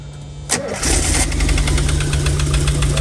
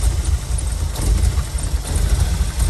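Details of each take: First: 1987 VW Vanagon Syncro Westfalia, parked since 2001, just-installed engine: starts, then runs unevenly, stumbling and bogging on throttle, won't idle, oil pressure light and buzzer on, blowing coolant from muffler; vacuum leak suspected. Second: 1987 VW Vanagon Syncro Westfalia, parked since 2001, running on starting fluid after getting harder to start: deep, low rumble, only slight waver, steady and strong; sounds healthy. Fault later found as a pin pulled out of the airflow meter harness.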